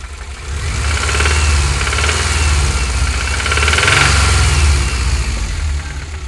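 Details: 2000 Subaru Impreza 2.5RS petrol engine revved twice: deep knocking under the exhaust note; rod knock or piston slap suspected, unconfirmed.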